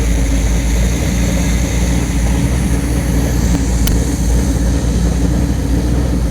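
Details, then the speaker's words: Carburetor on a test engine after removing Teflon tape lodged in the needle and seat, cleaned and reassembled: a strong, even engine roar with no misses, stumbles or rattles, and no leaks. Normal running after carburetor service. "carburetor sounds good looks good and it does not leak"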